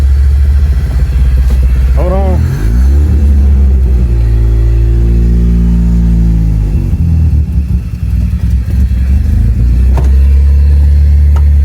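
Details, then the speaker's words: 1999 Mitsubishi Eclipse at its first start in 2 years, after a wiring harness patch and new ECU install: the engine catches but runs lumpy and stumbling; rough running, cause unknown. "on it's rough but it started it's really rough it's really rough"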